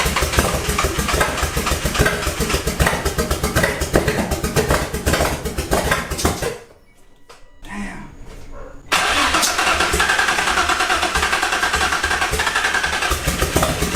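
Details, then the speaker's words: Built Greddy twin-turbo G35 at first start: loud lumpy running with uneven exhaust pulses and a brief drop-out, with a vacuum port also found open. Rough misfire from ignition coil wires 1 and 3 being swapped. "I made that noob mistake of swapping ignition coil wires 1 and 3."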